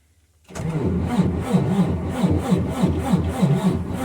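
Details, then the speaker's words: Freightliner DD15 diesel semi, cold start at about -10° after -17° night, first cold-weather start for this truck: silence then it catches with a rough rhythmic chug about three to four per second, quickly settling; starts cleanly. "so I'm going to let this thing run for 10 20 30 minutes run to the post office come back and see if she's still running but she's purring like a k kitten"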